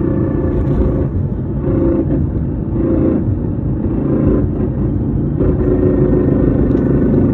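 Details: 2014 Whipple-supercharged Ford Mustang with MT82 Getrag 6-speed manual at 37,000 miles, driving with a constant loud gearbox whine on deceleration and acceleration; silent with clutch in, no grinding, lockout or vibration.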